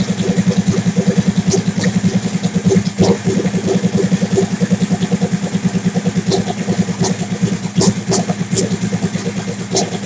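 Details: Big-turbo Suzuki TL1000R V-twin with 560cc injectors and Power Commander, after idle tuning: lumpy but even idle with a steady pulse around three beats a second, no misfires or stumbling; owner happy with it, normal idle.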